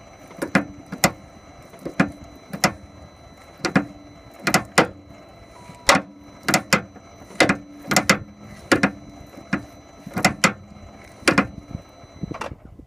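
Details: Range Rover L322 with the engine off, steering being turned: loud sharp clicks and clunks in uneven bursts; track rod end ball joints were checked and looked fine, so the cause is not found.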